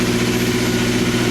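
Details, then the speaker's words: 2004 Honda S2000 just after a valve lash adjustment: a smooth, even idle with a steady low hum and no valvetrain ticking; the engine runs healthy. "Purrs like a kitten. Purrs like a kitten."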